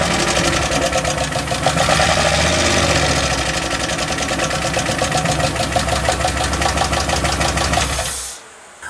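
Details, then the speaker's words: Turbo LS-swapped rear-drive 1990 Ford Festiva on a Miata chassis: rough idle with fast, loose clacking at about three per second; source not yet identified. "well I guess we could start it up and see if all the little clocking and clanking goes away"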